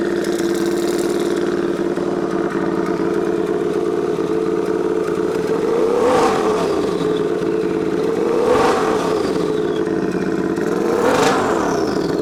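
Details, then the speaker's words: Turbocharged Royal Enfield 650 twin, stock pistons, forged rod, Garrett turbo at 0.7 bar: steady drone with a rising turbo whistle on each throttle blip; normal, healthy spool. "Hein. T'entends le sifflement?"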